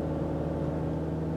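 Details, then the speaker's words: 2015 Chevrolet Cruze 1.4 turbo with overheating, coolant loss and loud-fan complaint: loud steady rushing whir under the hood as the electric cooling fan runs commanded on high speed, radiator temperature falling quickly; fan works on high speed only. "high-speed cooling fan and we should watch I can hear that fan of there just ripping under the hood"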